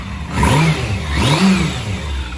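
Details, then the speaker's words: Restored low-mileage Yamaha Fazer motorcycle, warmed up and running after 15 years laid up, in cold weather. Two crisp throttle blips rise and fall smoothly back to a steady idle with no misses or knocks; it sounds strong and healthy. "she sounds good and strong very energetic fourth oranges"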